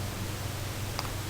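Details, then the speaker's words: 1988–98 Chevy/GMC truck after replacing windshield wiper motor and linkage, run on a dry windshield; low steady hum with no grinding or clunking, one faint tick; wiper motor and linkage running smoothly and very quietly. "we'll hit Miss real quiet real quiet okay that's all we're doing it's bad to run them on a dry windshield but super quiet which is good"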